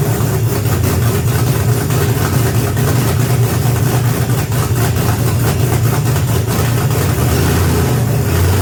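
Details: BMW E46 with M62TU B44 V8 conversion, first start after fitting belt, balancer and alternator with fuel and oil pressure confirmed: fires into strong even deep rumble, clean throttle blips, no knocks or misses; running normally.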